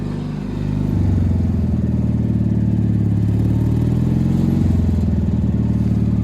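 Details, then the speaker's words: Gravely tractor engine idling in December: deep even single-cylinder thump at steady idle, no knocks or misses; running healthily, owner joked it might backfire but it did not. "nice nice nice yeah thing's mint probably going to backfire no"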